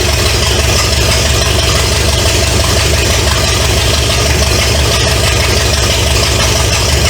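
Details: 1970 Pontiac LeMans with Pontiac 350 V8, abandoned for years, first start after sitting decades: loud, raw, even idle from open headers, no knocking or tapping. Smoke is from oil put in cylinders to free rings; radiator not yet fitted. Normal idle.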